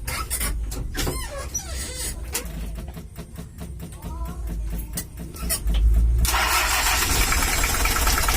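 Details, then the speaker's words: 1982 Toyota Hiace LH11 diesel with overheating complaints and a possibly non-original exhaust, before adjustment: harsh, uneven clatter at about four knocks a second. Rough idle attributed to incorrect injection pump timing, to be set. "suaranya kasar ya lurgan juga ada ginjalnya untuk mesinnya sendiri belum tahu oli mesinnya begelung Obos dan suaranya kasar nanti kita akan setel juga"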